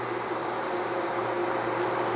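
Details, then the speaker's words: 1973 TVR 2500M with a newly installed wiring harness, engine dead cold and not running: steady whooshing radiator fan roar with a low hum, fans on because a bypass switch was left on. "So my first aspect is to figure out why the fans are on when it's dead cold."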